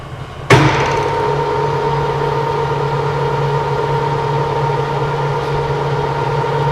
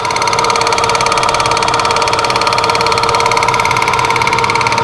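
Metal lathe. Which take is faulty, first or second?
second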